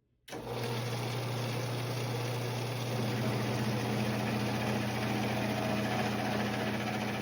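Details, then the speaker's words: Vintage Craftsman 109 mini lathe taking a rough taper cut on a 1" UNC nut, compound at an odd angle, with cutting lube, audio sped up: a steady hum with a rough chattering edge; quite a bit of tool chatter. "Um, as you could see, even though I sped that up a lot, you could you could probably still hear and see it. There's quite a bit of chatter."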